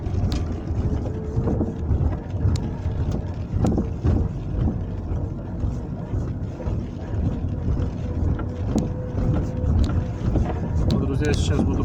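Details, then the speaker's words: Lada Kalina (Granta) at 47,000 km, driving over rough road: sharp irregular thumps above low road rumble from front suspension, front left, began this spring; owner cannot tell what is knocking. "значит на моей машине на колени пробег 47000 и что-то стала стучать передней подвески что стучит я не могу понять"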